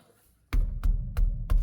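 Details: Ford Freestyle rear suspension, checked for comparison against a loose front tie rod end: four dull, solid thuds about a third of a second apart with no rattle or clank afterward, so the rear suspension is tight and sound.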